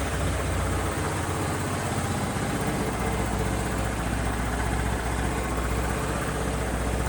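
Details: Honda BeAT FI scooter after repairing a broken wire in a connector that left the electrics totally dead; steady low engine hum with an even idle and no misses or knocks.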